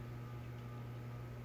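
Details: 2001 Hunter Sea Air ceiling fan running on low: a steady low hum with a faint higher tone, even and unchanging, judged borderline bedroom-quiet; a healthy motor running quietly.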